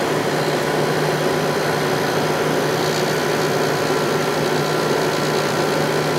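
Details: 1995 10,500 BTU air conditioner, once very dirty, now cleaned with its motor oiled: steady, even hum with a low drone and airy fan rush, no rattles or knocks. The compressor runs very smoothly and is already cooling.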